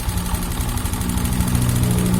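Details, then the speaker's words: Honda Genio scooter, hard to start and stalling, smoking from the exhaust, rough rattling idle with a faint ticking underneath, consistent with piston slap from a loose piston in the cylinder. "suaranya kasar teman-teman terelacak"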